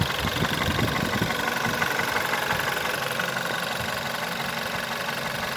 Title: VW 1.4 TSI 2009 CAVD - engine loud knocking clicking noise on idle and low revs